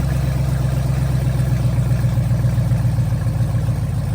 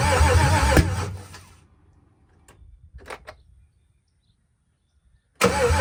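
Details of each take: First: First start of a Gen4 LS-swapped Cutlass, fuel pressure holding 50 psi with no leaks, some smoke: loud, steady deep idle with even firing and no misses, knocks or ticks; normal running. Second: Gen 4 LS V8 swapped into a Cutlass, first start with fuel pressure around 50 psi: brief cranking then a few sharp pops with no catch; crank no start because the coil harness was wired swapped wrong.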